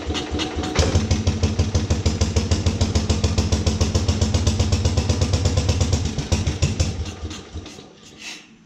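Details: 1950s Agricat mini dozer, freshly rebuilt Briggs and Stratton model 23A, coil ignition, starter generator, no choke or throttle hooked up, cold start about 40 degrees in garage: cranks, catches, fast even thump about three beats a second, shuts off; healthy.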